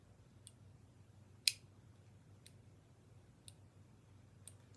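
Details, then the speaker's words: Omnipod DASH insulin pump pod filled with Forteo and saline priming; crisp single clicks about once a second in a quiet room, normal priming. "now is where it's actually setting up the pod it's gonna prime the pod so you're gonna hear it make these clicks"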